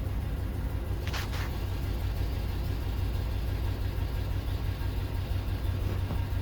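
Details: 2004 Chevrolet Avalanche after restoring a bad ECM ground that caused no-crank, no-start and no communication: steady low rumble of an even idle, no misses or knocks; engine healthy and settled.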